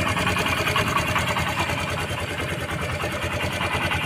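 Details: Honda SP 125 BS6 motorcycle that would not start, running after fuel pump refitted with the old filter reused; small single ticking over at even quick idle with light steady exhaust putter: normal idle.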